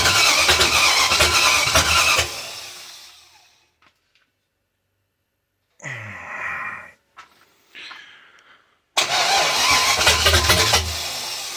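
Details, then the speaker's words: Volvo Penta AQ271 boat engine, Chevrolet 350 small-block, first start: two bursts of fast cranking, about three beats a second, with ragged catches that never settle into a run; firing intermittently, not starting. "It's making the right noises. She is sucking Yes, you're beginning to sound like you want to do something, but I have no idea if you really do."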